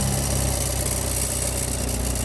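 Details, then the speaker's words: Vehicle with newly installed turbo idling: steady even idle, no exhaust rattle despite customer complaint; A/C not working due to a failed A/C compressor clutch. "And the exhaust is rattling. The exhaust isn't rattling."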